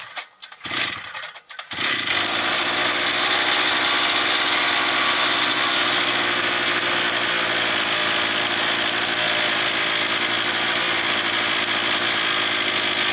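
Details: Approximately 52cc two-stroke brushcutter that started then stalled, choke on, air filter off: after a couple of false catches it fires and holds a steady high buzz without stumbling; running normally.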